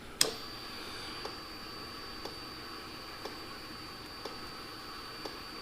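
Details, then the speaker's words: 2009–2014 Yamaha R1 that had a no-start, diagnostic mode items 36–39 primary fuel injector test: crisp single clicks about once a second in a quiet room; injector firing normally. "every time would it would just fire just a little bit of a little bit of fuel and actuate"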